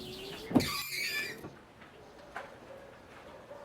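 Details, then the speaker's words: Windshield wiper run with the car stationary on dry, dusty glass gives a squeaky, juddering scrape and chatter from a bent, misaligned wiper arm. "Estão vendo que está havendo um ruidinho, né?"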